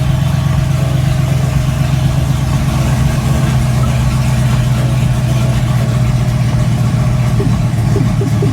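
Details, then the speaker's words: LS-swapped Jeep Grand Wagoneer first drive after warm-up, rolling slowly: deep V8 burble with uneven, lumpy beat about four pulses a second; rough idle, needs tuning, cause not confirmed. "Um I can already tell we're we're going to have to tune this thing. I mean, it just it idles so rough."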